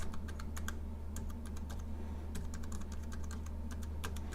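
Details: Arteck HB030B slim Bluetooth keyboard, typing test: crisp, even key clicks a few each second over a low room hum, with keys returning cleanly. The owner notes that the I and O keys stick slightly when hit at the corner.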